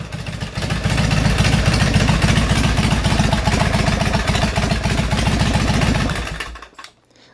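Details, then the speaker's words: Harley custom bobber with a 2007 Road King 96-inch engine, S&S Super II carburetor and Ultima 6-speed, after replacing a weak battery that caused a loud occasional starter clunk: V-twin fires right up into a strong lumpy beat with no clunk; normal starter cranking and start. "not a clunk at all and I've tried at numerous times I mean that thing fires right up as it should"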